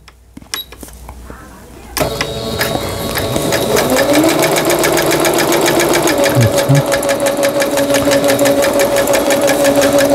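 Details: Singer Stylist 7258 after repair of an E4 error, a shifted lower-shaft gear, a sensor fault and a slipped timing belt: even, quick ticking of about three stitches a second over a steady motor hum, with no clatter or binding; normal straight stitching.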